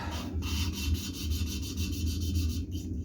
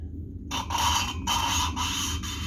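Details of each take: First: VW 1776 engine cylinder head valve lapping, fine finishing paste after the coarse grit: soft, even back-and-forth rubbing strokes with no gritty rasp, the valve seat now lapped smooth. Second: Cylinder head of a 1776 cc VW-type (Cox) engine, valve lapping by hand: gritty rasping back-and-forth strokes that grab and judder as coarse paste cuts a rough seat, sound changing as abrasion proceeds.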